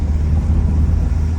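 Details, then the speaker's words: 1991 Volvo 740 wagon on its first drive after purchase: deep, loud, coarse rumble pulling away, exhaust louder than it should be; definite exhaust leak. "So, it seems to drive okay. It definitely has an exhaust leak."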